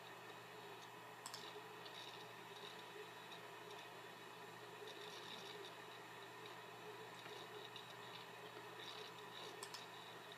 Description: It does this when I open up a program/access a file.